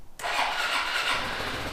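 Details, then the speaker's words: Suzuki Burgman 400 scooter from a collection, full tank of fuel: starter catches at once and the engine settles straight into a smooth, even idle; a clean, healthy start. "nice okay full tank of gas man we're two for two love it"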